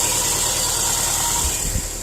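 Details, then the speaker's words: 2010 Subaru Impreza 2.5 non-turbo (113,000 miles) just started after an engine replacement, since the old engine had run without oil. No coolant in yet. It idles steadily under a hissy background with no knocks or rattles, and no leaks are seen. "I just started it, just checking for leaks and stuff like that. I don't see anything goofy going on."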